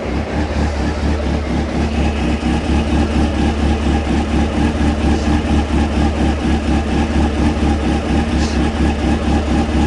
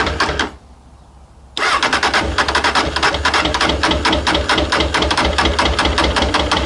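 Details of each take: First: Honda CB600F, about 26,000 miles, cold, after work on cylinder two misfire, air filter off, tank temporarily refitted: steady even idle, smooth regular pulse, no misses; all four cylinders firing, running normally. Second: Honda CB600F, about 26,000 miles, misfire on cylinder two, on choke, header pipe two still cold: engine catches after pause and runs uneven and lumpy around two and a half pulses a second; one cylinder dead.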